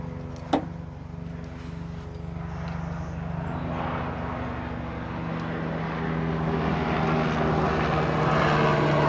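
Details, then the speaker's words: Chevrolet Astro van after the passenger-side door actuator was replaced, operated with the key fob. There is a sharp click, then a loud, rapid, relay-like chatter at about four times a second from a unit up in there. Loud door lock noise. "okay it's working but the noise is crazy and the noise is coming from this thing that's up in here wow it's like a relay"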